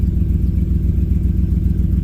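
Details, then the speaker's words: 2007 Dodge Ram 1500 5.7 L HEMI V8 running after coolant temperature sensor replacement, throttle control recently disturbed: loud, lumpy idle with an uneven low beat and occasional stumbles; V8 misfiring, cause unknown. "Okay, something's going on. That don't sound good."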